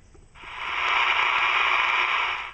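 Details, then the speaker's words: Cobra 148GTL CB radio under restoration, powered up after rebuilding the 5-pin plug circuit on perf board: steady hiss rises, holds about two seconds and cuts off, no voice when another radio transmits into it, and it does not transmit; receive static only, no signal reception. "as you can hear, it's picking up static, which means it's in receive mode. However, it's not really picking anything up when I transmit into it using another radio, which is weird, and it's also not transmitting anything."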